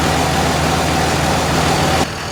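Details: 2001 Cummins dually, rebuilt 56 block with 53 rotating assembly, 50hp VCO injectors, first test fire: steady even diesel clatter at idle, smooth low rumble, no knocks or misses; healthy.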